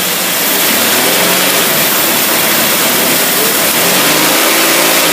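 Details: Boat engine being tested with a Holley marine carburetor, wrong gasket found (needs four-hole type), then run at speed: strong, even roar holding steady with no misses, pops or stumbles. Normal running.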